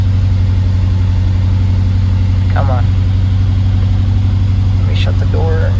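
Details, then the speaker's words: 2011 BMW X5 50i, N63 V8, about 92,000 miles, ignition coils overdue since 60,000: heavy lumpy idle, about three uneven thumps a second, with shaking and a check engine light. Owner suspects a failed spark plug or ignition coil. "the second i started up it's gonna show a check engine light and it's gonna idle really rough oh you can already hear it sounds disgusting"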